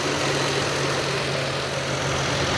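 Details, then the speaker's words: 1997 Lexus LX450 (FZJ80, Land Cruiser-based), 185k miles, idling in the engine bay with the Blue Hub fan clutch visible: the AC compressor kicks on, a steady even low hum and constant drone, no knocks or misses. Normal idle with the AC compressor engaged. "Additionally, you can see the Blue Hub fan clutch, and maybe we'll get lucky here in a second and the AC compressor will kick on. There it goes. Doing its job."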